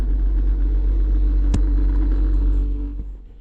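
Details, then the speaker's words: 2016 Toyota Sienna front blower motor makes a steady low droning hum with a faint constant tone at every fan speed; the rear blower is quiet. The owner plans to replace the blower motor. "So, it don't matter how high I turn it, it just makes that noise."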